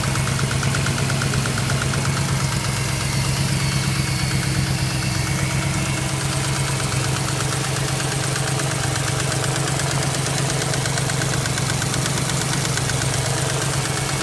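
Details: BMW X5 with loud steady idle carrying a repetitive knock near three beats a second; owner doesn't know the source.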